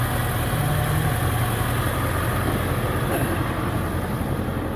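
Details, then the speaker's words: 1999 Ford E-450 ambulance-to-RV conversion, 7.3 Power Stroke diesel: deep, even idle with soft regular low clatter, no knocks or misses; owner notes how quiet it runs; healthy warm idle. "it's amazing how quiet that thing's running"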